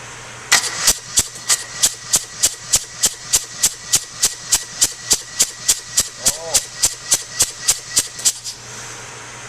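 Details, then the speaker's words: Diesel compression test, injectors removed and gauge fitted, throttle held off while cranking after oil was put in the cylinder: steady starter cranking with one brief spit. The reading rose from about 200 to 325, pointing to ring blow-by in the lower end. "At 325, wow, that's a significant change. Okay, that's right up to where it's supposed to be. So I would have to look at this engine and say we've got some issue with the lower end."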